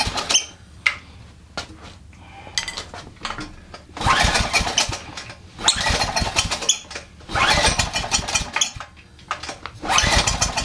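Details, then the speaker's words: Generac 3000 watt generator with an overhead-valve engine, bought as a mechanic's special: catches in short bursts of about a second, then dies each time with quiet gaps; governor appears set up the wrong way. "all right I'm not crazy almost like the governor is set up the wrong way I didn't even think about the governor oh my goodness"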